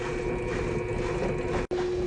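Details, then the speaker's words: Electrolux LSE09 washer-dryer during fast spin: steady mid-pitch motor hum with rough scraping hiss; not a bearing, the IPM power module overheats and oscillates, letting the rotor rub the stator. "Eu tenho para falar para vocês que isso daí é problema no IPM da lavadora, tá? Quando ela tá centrifugando, o IPM esquenta, ele começa a dar uma oscilada. Aí o que acontece? Aí o rotor vai triscando no estator,"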